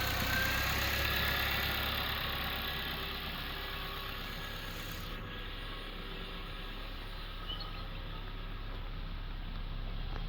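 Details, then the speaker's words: Used car at a dealer, described as an R3-series unit with a dry, tidy engine and no signs of accident or flood. At idle it is steady and even with a low smooth hum and no knocks, ticks or misses. Exhaust is clean, no oil or smoke: normal idle. "Coba kita nyalakan untuk suara mesinnya. Nah, terdengar untuk suaranya masih sangat halus."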